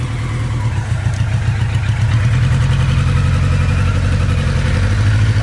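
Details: 1982 Kawasaki KZ1000 LTD, inline four, 9,000 original miles, freshly sorted after museum display: steady, even low burble at idle with no misses, knocks or ticks; runs smooth and healthy.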